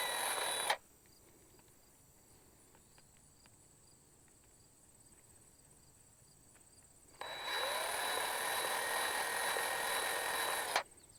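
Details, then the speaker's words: DeWalt 20V grease gun after a tube change, bleeder valve loosened: two bursts of steady high motor whine with a quiet gap, no change in tone under load; air-locked and not priming, air pockets popping through. "up a little bit now sometimes you can hear this and sometimes you can see it but you will hear it kind of pop and crack letting air go through that you can kind of even pull the trigger on it sometimes I've had to move the handle back and forth a little bit trying to maybe just kind of push out some of the air pockets"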